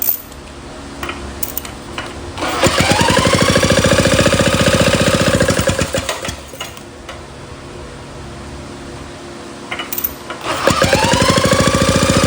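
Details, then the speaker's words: 1937 Maytag Model 92 single-cylinder two-stroke engine on first start: barks into fast even popping at about three and a half beats a second, then fades out; dies after running on prime, owner suspects it is not yet picking up fuel. "Wow. Well, it popped right off on our uh on our prime. I don't think it was feeding fuel that yet, but we probably got to keep uh pulling on it. But it runs."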